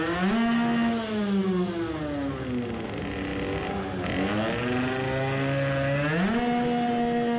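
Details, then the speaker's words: Two-stroke moped, new racing carburettor with 110 main jet: revving hard with rough uneven burble and sputter at full throttle; 110 still too big, big fuel puddle again; running rich. "but it is still sputtering at full throttle so the 110 was still too big and there is again a big fuel puddle"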